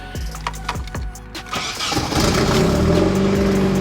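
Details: Nissan 240SX S13 KA24DE after rebuilt injectors and fuel pump replacement, in neutral: several slow cranking strokes, catches and runs unevenly, hunting, then stalls; injectors leak-free, owner suspects MAF or vacuum leak.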